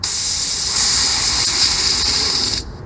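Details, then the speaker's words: Air compressor storage tank, switched off and drained: loud steady hiss of air and gurgling moisture blowing out the drain for over two seconds, then dropping off; normal tank drain. "that kind of gurgling sound that's the moisture coming out of that that small hole where the pressure is trying to blow it out evacuate it"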